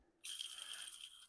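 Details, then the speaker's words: CHI model 5983 18x8 insulated steel garage door: a dry, high, gritty one-second rattle from an old roller with a worn bearing, before swapping to 13-ball-bearing nylon rollers. "Got to address this. Ain't no getting rid of that. That's loud."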